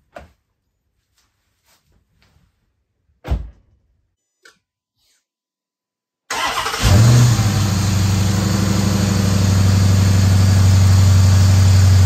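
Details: 2011 Dodge Charger flood car after AC compressor replacement, intake air tube off: clicks, then cranks, catches and settles into steady even idle with no compressor noise; normal idle, some intake sound.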